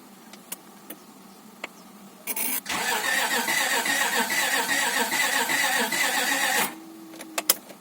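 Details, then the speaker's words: Honda Accord 2.3L (V6 mentioned), first crank after reinstalling the engine following rear main seal replacement, fuel pump fuse disconnected: even, steady starter cranking for about four seconds; compression sounds alright. "compressed it sounds sounds alright Sims is going to start once I get the full pump connected"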